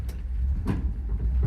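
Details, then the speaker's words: Rat rod: two or three dull thuds from the left front over a low rolling rumble as the brakes are applied and released; owner first suspected the brake adjuster, found a worn upper control arm bushing. "The left front brake kind of banging and clanging when I hit the brake, and then I'll let off of it."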